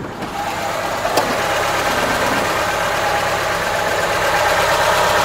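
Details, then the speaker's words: VAZ Niva engine at idle after lubricating the suspected distributor with an oil syringe to cure a grinding/knocking noise; the noise is gone, leaving a steady even mid-pitched hum with no grinding or knock, and a slight tappet sound fading as clearance takes up. "Звука нету, парни. Пропал звук."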